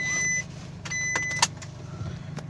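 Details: 2014 2.5 4x4 diesel, 190,000 km, at about 2500 rpm: thin high whistle cutting in and out over low rumble, turbo rebuilt six months earlier with wrong shaft and blades, throwing it out of balance.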